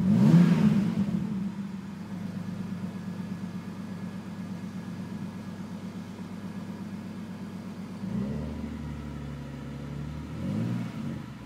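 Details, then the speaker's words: BMW E46 330i with turbo, lifters replaced two years ago without help, tick present before turbocharging: at warm idle a light steady tick of about four per second under a smooth hum before a blip. Owner suspects a valve problem. "And right now you can't hear the tick, but when the oil gets a little warmer,"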